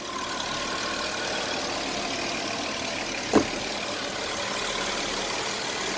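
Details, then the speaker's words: 2008 Audi Q7 after radiator fan assembly removal and reinstall, with retrofitted brushes in the small fan: even, steady airy rush from all fans over the idle, no scraping, rattling or whine apart from one brief click; normal cooling fan operation. "Alright, well, everything's back in, turned it on, all fans are running."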